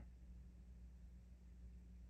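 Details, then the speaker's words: Sound City 200 Mark III tube guitar amp, powered on with all volumes down, heard through sensitive G12K100 speakers about 2.5 ft away: faint low mains hum and soft hiss, no crackles or pops; quiet healthy idle. "the quiescent background noise."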